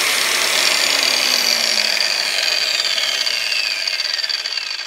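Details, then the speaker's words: New budget Craftsman angle grinder, first run: high, even motor whine slowly falling in pitch as it coasts down after switch-off; long smooth spin-down, owner thinks this may mean good bearings. "does have a big wind down so maybe that's good bearings i don't know we'll give it a try"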